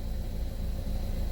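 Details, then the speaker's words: 2012 Buick Verano 2.4L idling after replacing camshaft actuator solenoids; low steady hum with no misses, ticks or surges; smooth even idle though rescan shows new P0011 code. "but as far as my car sounds, it sounds like it's running smooth, which"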